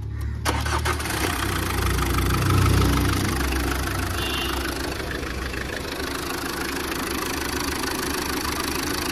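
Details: 2011 Tata Vista TDI diesel at 151,000 km with an overheating and boiling complaint, started after head gasket replacement (leak was between cylinders 3 and 4) and timing belt refit: brief crank, then a steady, even idle with no knocks. Healthy.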